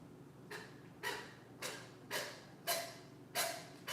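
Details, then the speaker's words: 1971 140H3, starter tested on its own: each slow turn gives a dry scraping rasp about twice a second, rough and uneven. The starter is binding, thought to be at the top. "Yeah, that's definitely binding up."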